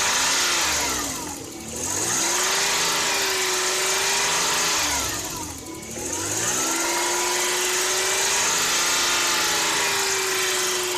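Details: Toyota 1JZ-GE with a spun rod bearing: a hard knock under the engine note with revs held near 3000 rpm, easing as revs drop. It knocks for two seconds on cold start, is absent at idle, and returns when driving at 3000 rpm.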